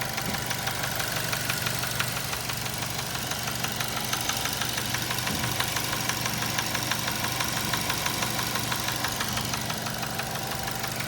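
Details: 2007 Nissan Tiida 1.6 engine with automatic transmission at idle: distinct regular knock, about three per second, steady over the engine hum, pointing to a worn internal bearing; engine was replaced with a used contract engine.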